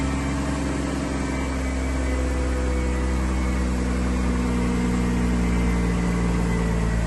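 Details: 2003 Chevy Trailblazer LTZ 4.2 I6 after rusted fuel pump replacement, about 4.5–5 gallons added: smooth, even low idle with steady rumble, no knocks, misses or squeals; normal idle.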